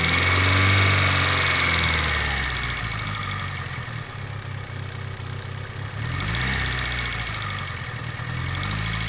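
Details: Mitsubishi Evo 8 at warm idle: a sharp, even ticking about four per second over a smooth idle; suspected lifter tick, cause not confirmed.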